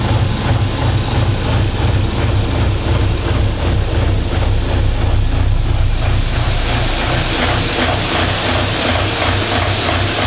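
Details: Diesel in a DervBus project running warm after initial timing setup, extractor fan droning behind; steady low clatter at even speed, no misfire — normal running.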